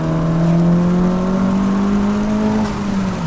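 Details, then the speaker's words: 10th-gen Honda Civic Si turbo after fix, accelerating hard in second gear at full boost: smooth strong engine note climbing steadily, no misses or rattles; normal full-boost acceleration. "Good. We're getting full boost."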